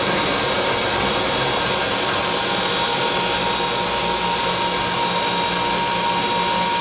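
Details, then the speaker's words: Wet vacuum pump running without its seal water: a steady, harsh rushing hiss with a faint high whine. It runs very hot without water, with a noticeable drop in inches of mercury; restoring the water changes the sound. "the pump will have a high fixed line and will run very hot without water"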